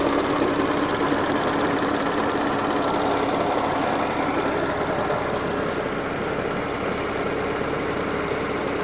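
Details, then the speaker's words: Audi S4 B8 engine warm after about 15 minutes of hard driving, following an oil change to Pentosin 5W40 HP2 that cured an earlier rattle; smooth even idle with light steady top-end tick, some noise from front left; normal idle. "Alright, this is noise after driving for about 15 minutes. At least pushing it pretty hard."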